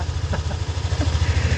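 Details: Yamaha NMAX V2 scooter after repair of a ticking engine knock, officially fixed: quick, even low putter at idle with no knock or tapping between beats; engine running cleanly.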